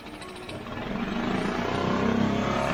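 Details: Mercury 5 hp four-stroke outboard, barn find in long storage, first start by pull cord: catches and builds into a quick, slightly uneven beat as it warms; runs, roughness can't be judged yet.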